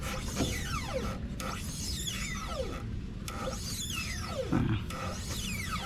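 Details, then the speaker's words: Volta 402 Virgo electric motorcycle on its stand, rear wheel lifted and spinning freely: high whine swooping down in pitch about once a second over a low hum, traced to the rear brake area and worsening over time; rubbing rear wheel suspected, not confirmed. "Ternyata ada di bagian rem remnya itu bunyi nging gitu coba ini nih di bagian rem itu bunyi jadi bunyinya sangat mengganggu"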